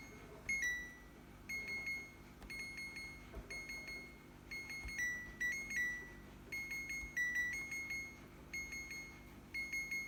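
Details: Second-hand fridge alarm sounding continuously: short high-pitched beeps in small clusters repeating about once a second in a quiet room, cause unknown, owner wants it switched off.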